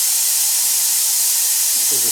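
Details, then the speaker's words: Black Max single-stage air compressor, motor off: steady high-pitched hiss of air escaping at the check valve. Air leak from a failed check valve, which is to be replaced. "And as you can hear. Air is leaking out. You can hear the air coming out pretty good coming out from right here. There's a difference. Well, that's because my check valve has failed."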